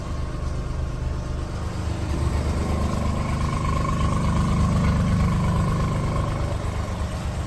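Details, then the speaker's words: Mazda RX8 rotary that sat nearly a year, new coil packs, plugs and wires changed nothing: rough, lumpy idle with uneven low pulse about three beats a second and weak exhaust; owner suspects one rotor not firing and the other low compression. "but it definitely sounds like one rotor isn't firing and the one that is the rotor that is firing um has low compression"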